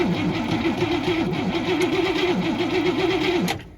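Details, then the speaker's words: Abandoned 1961 Cadillac, revived after sitting, cranks with an even wavering rhythm for several seconds but never catches despite a spark now present and fuel poured down the carburetor; fuel pump not delivering anything. "that wasn't magic fuel pump isn't doing anything yet i was hoping it would just magically work"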